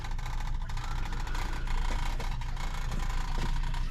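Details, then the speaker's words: Commercial sewage ejector pump with float, serving bathrooms, toilets backing up: deep steady rumbling drone with uneven swirling churn as the pump labours against a clog, reverberating through the building. "so listen hear that that was reverberating I mean I could hear that like up in my front"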